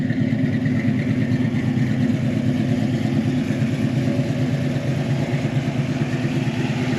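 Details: 1972 Chevy Malibu Chevelle SS tribute, 350 V8 with mild cam, new carb replacing oversized one, fresh tune-up, idle previously slightly off: lumpy, even burble with steady low thump, firing cleanly, no knocks or misses; normal running.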